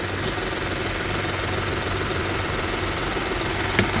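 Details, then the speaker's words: 2023 Nissan Rogue after a leaking transmission mount was replaced and the transmission and brake fluids were serviced: a steady, even idle with a smooth low hum and no shaking or clunking; no more leak or vibration. "That new trans mount that we installed right there is good. No more leaking, no more vibration."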